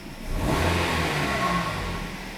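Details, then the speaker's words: 2008 Kia Rio after tune-up fixing flashing check engine light and P0300/P0301/P0303 misfires: quick throttle blip revs up and falls smoothly and evenly, no stumble or miss anymore; previously misfired on throttle snap. "hopefully you can hear the difference we do a little power break as you can tell no more misfires"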